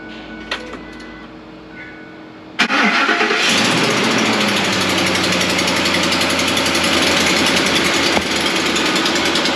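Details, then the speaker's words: Chevy Tahoe 5.3 V8 new warranty engine with phasers installed, cold start after two days parked; sharp quick ticking from exhaust manifold leak, no knocking, cold-start rattle seemingly gone. "well that exhaust leak is still here I don't hear the knocking not so certain about the uh rattle noise just yet"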